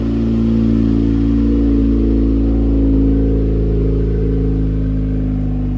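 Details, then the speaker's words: 2008 Dodge Caliber SRT4 with rebuilt 4B12 2.4 (forged pistons and rods, ACL bearings), first start: steady run with constant whirring and faint rattle about four per second; accessory drive noise, owner suspects the air compressor. "Uh, one of the accessories, I think it's the air compressor, is making a ruckus."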